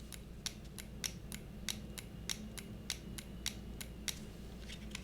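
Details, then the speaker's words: Cooler Master MM710 53 g lightweight gaming mouse, squeezed by hand: sharp plastic clicks and creaks roughly every half second as the thin shell flexes on both sides enough to activate the buttons; severe shell flex. "but this is hands down the worst flex I've seen in the mouse yet worse than the model oh when it first came out worse than the model oh right now I mean this thing is horrible check this out"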